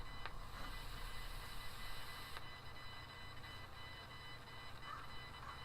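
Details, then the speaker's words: Blue Piston speaker, 3.5 years old, battery swollen and bulging out: constant high-pitched hiss with faint whine and sharp pops while plugged in, louder than its usual plugged-in hiss; cause not known. "it's always made a bit of noise from just being plugged in so it's had that like kind of high-pitched sound hiss for a little bit"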